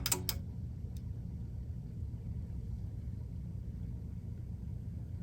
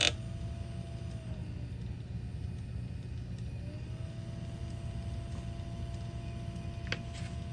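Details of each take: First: 1984 Bose AW-1 cassette deck, new capstan motor fitted with front bearing lubed after old motor found wired backwards: a couple of clicks at switch-on, then soft steady low hum with no wobble or grinding; runs normally. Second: 1984 Bose AW-1 cassette deck with a new capstan motor on an 18 V bench supply (12.12 V measured at the motor): a thin, steady whine over a low hum; the motor clearly spins much too fast.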